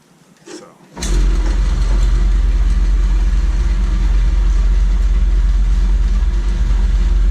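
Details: RIDGID 945.1468R saw after fabricating a new blade guide from round stock and a nut (belt previously fell off at switch-on): motor kicks on abruptly, settles to steady even roar, no slapping or thumping; normal running.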